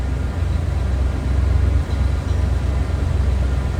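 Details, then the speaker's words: 1971 Cadillac Coupe Deville, 472 V8, complete exhaust, heard from the rear at the tailpipe: deep, steady low idle rumble with an even beat and no knocks or misses; normal healthy idle. "Sounds as you'd expect."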